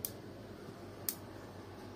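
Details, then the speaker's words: Built-in gas hob igniter clicking continuously on its own, sharp single clicks about once a second while idle; cause given as spill water (tea or cooking overflow) seeping under the knobs into the switch mechanism and shorting it, fixed by removing knobs and drying with hair dryer. "ocağımız sürekli böyle çıt çıt çıt çıt ses yapıyordu yani sürekli Çakmak sesi vardı bu şekilde"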